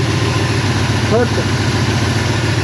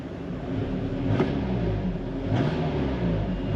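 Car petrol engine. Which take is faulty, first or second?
second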